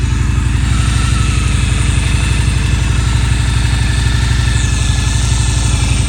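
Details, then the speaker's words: Victory V92C V-twin motorcycle cold start after sitting a week in sub-freezing weather, 38°F, no pre-warm-up, phone held close to the engine: steady deep lumpy even beat, healthy cold idle on choke; owner about to shut off choke, fearing it may stall. "I'll shut off the choke. Might kill it because it's so soon."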